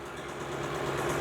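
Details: 2016 Ford E-450 5.4L V8 with code P0301, idling with a low hum and an uneven, slightly stumbling beat; a cylinder 1 misfire from suspected low compression.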